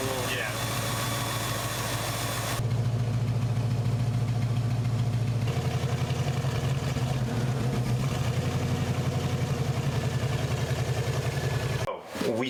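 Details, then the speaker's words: 1970 Ford Mustang Mach 1 V8 barn find, stored since the 1980s, first run on fresh gas: uneven, loping idle as if one cylinder is down. It runs poorly; suspected bad intake valve and low compression, with a compression test planned. "We started it up, she ran, but not well."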